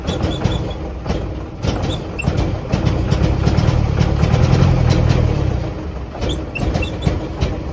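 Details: 1949 Jeep CJ3A hard start and rough running after sitting since last fall, despite new coil, points, rotor, cap, clean plugs, fresh fuel and two-year-old carb. Uneven, lumpy running with irregular beats and surging low rumble; owner suspects points or a stuck valve.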